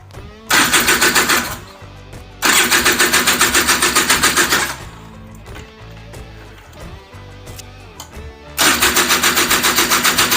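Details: Honda Odyssey FL350 two-stroke, first start after DG exhaust install, fuel primed into carburetor, new spark plug: repeated even rapid cranking about four turns a second, never fires. Cause suspected, not confirmed.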